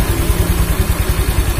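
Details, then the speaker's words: Honda Vario CBS 125 scooter that seized from running out of oil, being reassembled after repair. Slight low growl pulsing at idle; the rear wheel area growls when the rear wheel is spun while the engine area sounds clean. Fix awaiting owner confirmation. "Jadi kalau posisi diam Deny Joe ada bunyi ngorok dikit tapi nggak terlalu parah"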